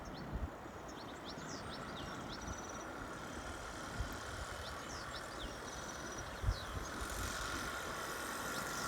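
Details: Solex 2200 moped on a road test after restoration: steady small two-stroke buzz under heavy wind and road rush; runs evenly with no misfire, healthy.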